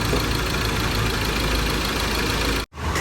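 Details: Ford Ranger 2.2 diesel after injector repair (no-start fixed), next morning with sound-deadening pad fitted and engine settled in: steady, fairly quiet idle with even rumble, no hard knocking or hunting; healthy.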